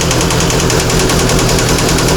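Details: VAZ 2114 engine swapped into the car, first start: hard, rapid metallic knocking about ten per second over idle from the top end; cause unconfirmed, owners suspect valves (worn shims) or camshaft, plan to check valves and compression.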